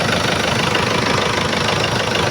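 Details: Freshly overhauled Isuzu 4BC2 old-model diesel after reassembly and timing set, started to monitor an earlier oil leak underneath: steady, even idle clatter with no knocks or misses; normal idle.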